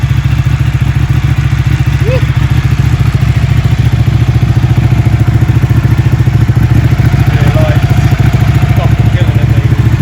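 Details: Ducati Panigale 1199, first start after a rebuild with repairs and modifications, coolant cap left off to bleed air, some smoke: strong, even low twin thump at steady speed with no clatter or misses for ten seconds; running healthy.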